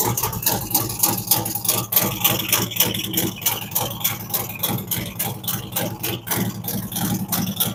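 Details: Fresh-built V-twin motorcycle cold start during a ThunderMax initial idle tune, with a choke-like rich warm-up mixture: loud, uneven idle at a fast warm-up speed, firing steadily with no knocks or grinding; healthy cold engine.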